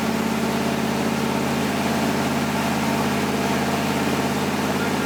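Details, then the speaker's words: 1977 Ford F150 with new V8 motor, first start and break-in: steady idle with even loping burble, constant pitch, no misses or knocks; engine settling in nicely. "golly guys it sounds so good it looks like crap but she sounds like a king"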